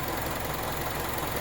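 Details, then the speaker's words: Mazda CX-7 with 2.5 L DOHC 16-valve variable valve timing non-turbo engine, about 126,000 km, original battery, cold start at -9 degrees: light, even sewing-machine purr at idle, no knocks or misses; normal cold-start idle. "this is the 2.5 and it's the most reliable one out of the bunch but he ever wanted to know what a 16 valve veritable valve timing engine sounded like on one of these this is what it sounds like"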